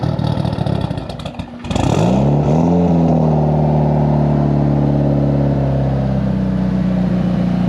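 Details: Built Mitsubishi Evo 8 with Kelford 272 cams, new downpipe and exhaust, wideband wired in: cranks, catches and settles into a loud, choppy, steady loping idle, healthy.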